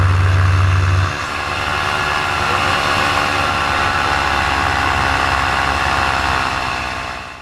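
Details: Paramotor engine in flight: high-revving buzz drops in tone and never recovers, then sags further as the engine bogs, losing power. The pilot heads in to land and check it; the cause is unknown.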